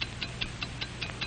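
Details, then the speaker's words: Hamilton fine watch from a 1949 demonstration ticks crisply and evenly at five ticks per second under music, none missed or doubled; balance beating steadily, normal. "what do you hear it's the ticking of a fine watch wherever you go whatever you do america's fine watch ticks steadily accurately on five ticks every second"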